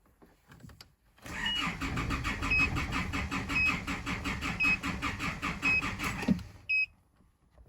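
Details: Isuzu D-Max cranking in steady, even pulses for about five seconds with a chime but never starting. Codes show EGR closed-position performance and camshaft position; cam/crank synchronization is suspected with no engine speed reading. It ran on brake clean.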